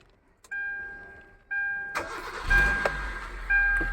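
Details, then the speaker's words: Hyundai i20 petrol, main relay swapped for an identical one: starter cranks twice, engine catches, revs briefly on the throttle, then dies within seconds; relay ruled out, intermittent ECM fault suspected. "Oscillator கொடுங்க, விடுங்க. Of ஆகிடுச்சு."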